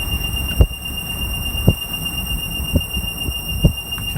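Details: 2017 Ford F150 on the road with a steady high squeal and a soft thump about once a second. It follows road speed, not engine rpm, is triggered first by distance, cuts out around 4–5 mph and eventually fades.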